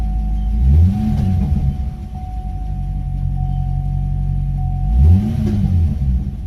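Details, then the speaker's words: C6 Corvette V8 after full engine rebuild (flooded car), already warmed up, oil pressure about 36 psi: deep even rumble, two clean throttle blips settling to steady idle, rowdy but sounds good; normal idle. "rowdy its rowdy for sure sounds good oil pressure like 36 psi it's already warmed up"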